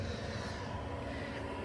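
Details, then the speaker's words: Planar diesel heater in a VW T6 heard inside the van: quiet steady fan hum with a faint constant tone, no ticking or surging. Set to 22°C with 13°C inside and 12.1V battery; it runs normally and is not very loud. "and that heater is running so this is how loud it is inside the vehicle obviously that's not crazy loud"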